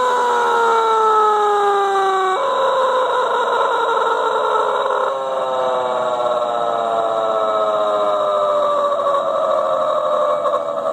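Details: Leybold Turbovac 150CSV turbomolecular pump of unknown condition, some oil lost: a siren-like whine sliding downward over a gritty rasp from bad bearings.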